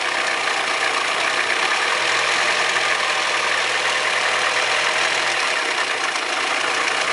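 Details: Audi 100 2.0 16V idling with a busy, tinny rattle over the idle, pointing to the valvetrain; owner suspects bad lifters or a rod bearing, not confirmed.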